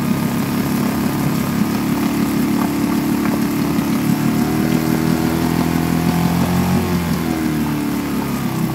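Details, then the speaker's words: Suzuki DF2.5 2.5 HP outboard in water test after no-start repair, fuel valve and tank vent open: single cylinder runs with steady, even, busy buzz, no stumbling or misses; normal running. "The engine is in the water to test it, now I have to open the gas valve you will see how it starts, pull the throttle bar open the gas tank vent"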